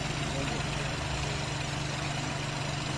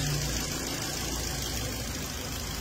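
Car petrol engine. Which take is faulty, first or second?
first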